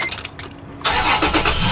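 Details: Car that would not start, boosted with a Spanarci ZETA 2000 battery jump starter: a short crank, then the engine fires at once and settles straight into a steady, even idle. A clean start.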